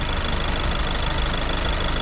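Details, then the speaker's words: 2015 VW Golf Mk7 TDI diesel idling on heating oil (diesel with red dye) after the fuel system was primed: steady, even diesel clatter with no misses or stray knocks; it idles normally, as expected. "so right now it is running on heating oil which is the same diesel fuel but with a red dye in it and it runs just fine which I expected it to"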